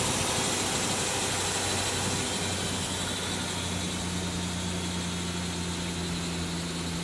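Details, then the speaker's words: 2000 Ford Ranger XLT, long-sitting, started after disarming alarm; steady even idle with smooth low rumble, no knocks, misses or surging; runs well. "That sounds pretty good for being sitting for so long."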